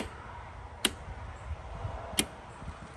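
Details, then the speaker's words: Toro MX5050 zero-turn with Kohler KT735 24 hp engine, key on, engine off, after replacing shorted parking brake actuator and fuel solenoid: two crisp clicks as the new fuel shutoff solenoid opens normally. "So now I have the new fuel solenoid on there, the new parking brake actuator, and when I turn the key on, you can hear this fuel solenoid click."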